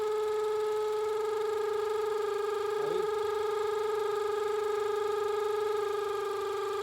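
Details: Range Rover with check engine light: a steady mid-pitched howl with engine running, loud at the intake manifold centre, not the belt or vacuum pump; vacuum leak from a broken, collapsed PCV hose to the intake manifold.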